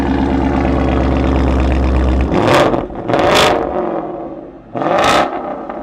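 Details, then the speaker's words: 2017 Ford Mustang GT Premium, 5.0 L Coyote V8 about 435 hp, wrecked front end, with hidden mods, heard from behind: deep loud even burble, then three sharp revs climbing and falling cleanly, loud exhaust; normal start and rev. "Oh my god, it sounds so mean."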